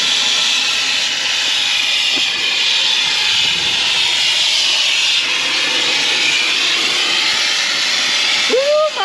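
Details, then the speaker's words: 1962 Ford Falcon, sat over 40 years, run hot on a drive: steady loud hiss of steam with no engine beat beneath it as coolant blows out through a hole in the overheated radiator. "Yeah, she's she's a little warm. Yeah, that radio is toast, man. I wonder what's cracked down there."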